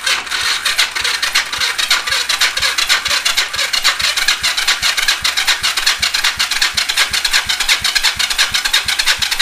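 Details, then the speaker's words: Yamaha XS400 engine during a compression test, about 120–150 psi: even compression pulses about three a second under a raspy starter whir; cranking getting sluggish, battery suspected weak. "i might actually try my other battery here because that one has more of a charge apparently this one sounds like it's getting a little a little sluggish"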